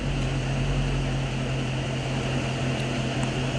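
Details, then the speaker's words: Car with a 6.4 Hemi brought in for overheating: steady low whooshing drone with an even hum underneath as the cooling fan runs hard on the hot engine. Cause of overheating not yet found. "Yeah, I hear the fan running right now, but yeah, just straddle right here."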